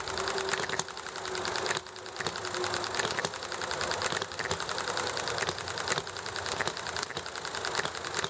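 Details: Enjomor small hit-and-miss engine: regular sharp pops roughly once a second with coasting between, firing evenly over chatting, highway and alley traffic noise; normal hit-and-miss running.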